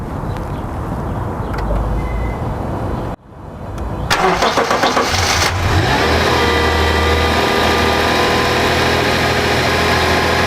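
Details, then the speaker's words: 2012 Subaru Outback 3.6R H6 with 157K miles: starter cranks briefly, the engine flares and drops to a smooth, even idle with no ticks or knocks. The owner notes a screech on cold starts, blamed on bushings, which is absent once warm; normal idle. "you can hear I mean the car sounds good"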